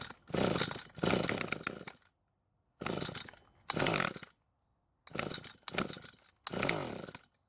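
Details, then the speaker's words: Echo SRM-230 trimmer, 150 psi compression, serviced: short two-stroke firing bursts dying within a second or two between pulls; catches but won't keep running, fuel, compression and ignition seemingly fine. "But with how it's acting when you try and start it, you would think that it was worn out when in fact it's not."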